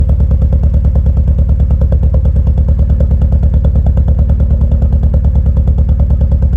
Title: Elan M100 Misfire